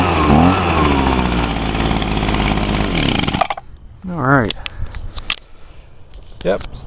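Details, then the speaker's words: Healthy 2009 Echo two-stroke, likely the PB 251 blower, started on choke with primes on a small amount of fuel: a crisp, even buzz holds steady at high revs with no misses or surging. It still runs as well as it did six years ago. "runs as good as it did six years ago"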